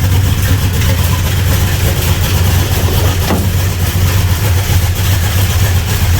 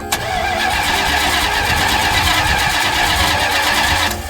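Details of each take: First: 1975 Plymouth Road Runner with a swapped Chrysler V8 and an electric fuel pump, firing right up on the key: a deep, even idle with a steady low rumble and no knocks or misses. Normal idle. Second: 1975 Plymouth Roadrunner after an engine swap, electric fuel pump working: steady rhythmic cranking for about four seconds, never firing, then it stops. Unsure whether out of gas or flooded. Long cranking, no start.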